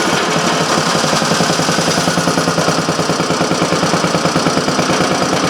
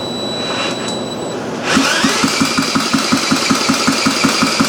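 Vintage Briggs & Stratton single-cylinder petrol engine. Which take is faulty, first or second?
second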